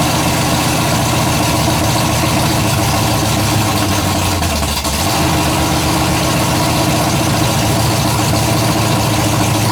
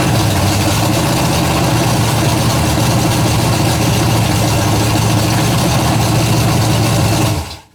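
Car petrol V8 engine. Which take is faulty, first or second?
first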